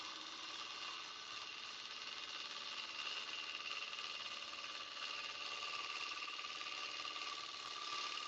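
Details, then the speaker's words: Late-night wood lathe turning, cutting the outside edge of a blank not yet round: steady whooshing cut with a rapid rhythmic "dut" flutter where a gap makes the tool cut air, then pick up again; interrupted cut on out-of-round blank. "I think we are not quite round yet. Nope. You can kind of hear it when it's not round yet. You kind of get that dut noise."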